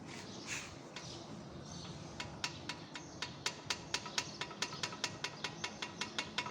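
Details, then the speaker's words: Hyundai HB20 1.0 three-cylinder turbo, reported as front suspension noise: sharp metallic clicks, about four a second, from aftermarket front brake pads lacking a backing shim, knocking loose in the caliper. "o barulho na verdade era pastilha de freio paralela ela não tem a chapa por trás para compensar a folga da pinça aí fica dando essa barulheira aí"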